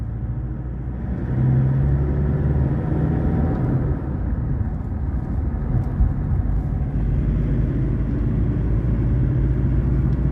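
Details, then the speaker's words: Ford BT50/Everest diesel, road test after repair for stumbling and stalling on acceleration: deep, soft rumble pulling evenly with no knocking or stumbling; good throttle response. "เสียงเครื่องยนต์ไม่มีเขกนะครับลากรอบไม่มีเขกนะครับเสียงเครื่องยนต์นิ่ม"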